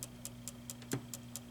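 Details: U5000 arcade monitor: faint sharp ticks, very regular at about four or five per second, over a quiet hum. The replacement C3688 horizontal output transistor failed immediately and shorted; an FJL6920 will replace it.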